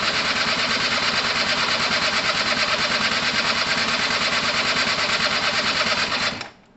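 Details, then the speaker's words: Gilera DNA 125 two-stroke scooter, two-stroke oil pump working, fuel and power present: steady starter whirring at about three pulses a second with no firing, cranks but won't start; spark not yet checked. "overheated okay so it's not quite ready guys it's not quite ready what we haven't checked for is sparks"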